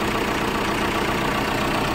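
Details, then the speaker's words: Tata Safari after alternator clutch pulley replacement, alternator charging 13.7 V with AC and headlights on: a steady, even diesel idle with no growl or rattle from the front of the engine; the earlier noise is gone. "इसका मतलब हमारा alternator बिल्कुल okay है engine में जरा भी sound नहीं है जैसे पहले घड़ घ घ करता था"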